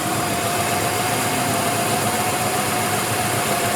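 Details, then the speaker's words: Ford Ranger V8 truck idling with a bad misfire on one cylinder: steady but uneven, lumpy beat under a faint whine; check engine light had been flashing; owner suspects a spark plug wire not fully pushed on. "that does not sound good having a really bad misfire on one cylinders right"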